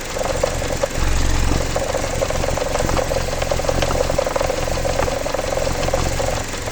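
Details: Jeep Patriot 2.4 at idle: steady idle with a dull, fairly quick, unevenly timed knock riding over the engine; cause unknown, owner asks what it could be.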